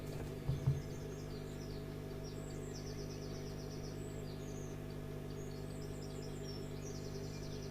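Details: Valve radio powered up through a dim bulb tester at about 180 V, 80–100 mA, bulb glowing dimly. A steady low mains hum holds level with faint chirps above it; the set hums without working, cause not pinned down.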